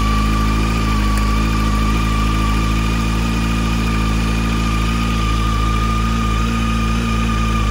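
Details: 2007 Honda CBF600 N-6 idling after a water pump leak repair: an even, steady idle with a smooth low hum and no knocks or ticks. Normal idle.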